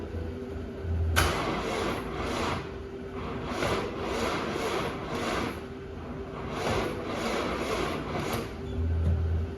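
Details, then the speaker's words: 2018 BMW X2 with B47 diesel, about 44k miles, oil and filter apparently never changed: slow labored uneven cranking without firing; engine turns freely by ratchet, so starter suspected burned, though spun bearing feared. "Yeah, I don't know why the starter could not. Maybe I'm lucky and it's only a bad starter."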